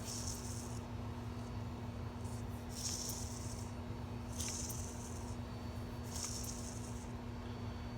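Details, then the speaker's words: 2016 CE bus 6.7 Cummins diesel idle: light rattling hiss surging every 1.5 seconds from the worn belt tensioner pulley bearing, tensioner itself fine; tensioner to be replaced. "the tensioner itself is not bad the little bearing yes listen to this"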